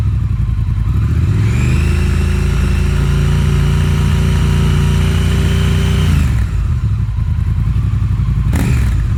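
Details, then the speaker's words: Triumph Thruxton R with stock exhaust and catalytic converter, before X-pipe cat-delete; smooth rev rising and falling evenly, deep, muted and quiet tone, healthy. "all right so now that we've got a taste of the sound of the stock exhaust"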